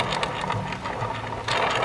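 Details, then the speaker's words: Bow axle removed during a dry-fire inspection, rolled on a flat surface near the mic: light, even rolling patter with no catch, click or wobble; the axle rolls true, not bent. "So rolls good. Checking to make sure there's no bends."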